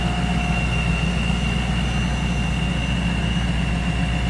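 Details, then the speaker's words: 1994 Pontiac Firebird Trans Am 25th Anniversary, 17,604 actual miles, Vortech V1 supercharged V8, dyno claimed 450 hp: deep, even idle with steady rumble and faint high supercharger whine, no knocks or misses; healthy. "Previous owner stated a dyno at 450 horse. Good looking engine bay. Sounds good, too."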